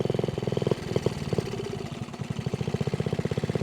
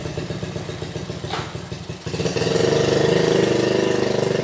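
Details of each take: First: Honda Z50A mini trail bike, first ride after about 30 years stored, no air box fitted: an uneven, lumpy four-stroke idle that stumbles and never picks up revs; rider suspects too lean. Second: Honda Z50A mini trail bike, unridden about 30 years, after clogged fuel petcock blown out with compressed air and carb cleaner, kick-started: a few chugs, then settles into a steady single-cylinder beat that swells and eases; runs well.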